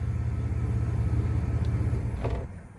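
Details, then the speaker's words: 2001 Chevy Blazer starting, running a rough uneven idle for a couple of seconds, RPM dropping, then stalling, every start; P0103 code, MAF sensor tested bad on multimeter and was replaced with a used one, fixing the stalling. "See, when it runs, when it starts up, it act like it want to run. And then look at the RPM drop, then it"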